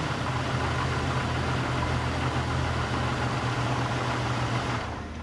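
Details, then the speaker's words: Barn-find 1998 Jeep Cherokee XJ with torque converter unbolted and bell housing cover removed: steady, even low idle drone with no clunks or knocks, then a smooth fade; engine good, transmission unknown. Normal idle. "now the engine's good just don't know about the transmission"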